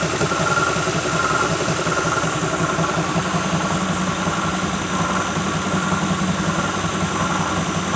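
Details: 2006 Lincoln Town Car, just started cold: steady idle, light whir and uneven rattle roughly once a second at the front; owner names a bad harmonic balancer, previous coil pack, plug, pulley, alternator, belt and cam sensor replacements unchanged.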